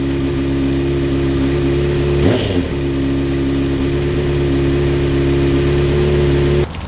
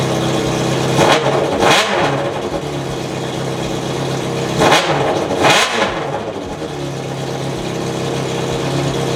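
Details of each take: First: 2004 Honda CBR600RR after installing a custom catless full-system header, first start after two weeks sitting in cold weather: even, steady idle with one sharp throttle blip; deeper note, much louder at higher RPM; normal exhaust, no leaks. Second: 2004 Honda CBR600RR with a custom catless full-system header, run straight-piped: two sharp revs rise and fall over a loud, raspy idle, far harsher than normal; exhaust leak at the header.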